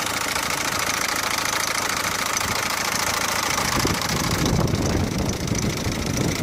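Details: Peugeot 407 1.6 HDi diesel idling with an uneven clatter and knock over a harsh, noisy run; abnormal idle noise, source not identified.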